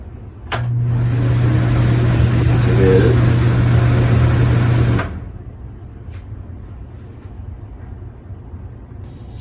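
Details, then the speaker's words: Replacement bathroom vent fan motor test run before mounting, old motor had stopped working: low steady hum holding pitch about four seconds then switching off, no rattle or grind; fan running normally. "i put the motor on i plugged it in but i didn't sock it in i just want to make sure that it's working properly"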